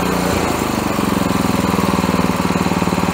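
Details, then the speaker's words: Honda engine on a pressure washer that sat a while and only ran on choke, after carburetor cleaning: with the choke fully off it settles into a fast, steady, even beat with no surging; runs smoothly. "Okay, nu vil vi bemærke, at vores choker nu er helt slukket, og hun kører glat"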